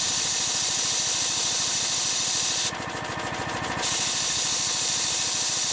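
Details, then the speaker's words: Harbor Freight engine-driven V-twin compressor, new pump, cutting out near 125 PSI after refilling from 90 PSI in about 2.5 minutes: loud steady unloader hiss over the engine, pitch dropping as it idles down; normal unloading. "so that like hissing sound that you hear is the unloader it's venting out all the air it's not filling up the tank I need to drop the pressure so the tank can f"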